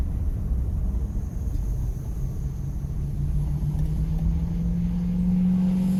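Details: 2001 Ford F-150, runs, sold as a mechanic's special with a misfire; deep low rumble with an uneven, lumpy beat climbing slightly in pitch toward the end: engine running rough with a misfire.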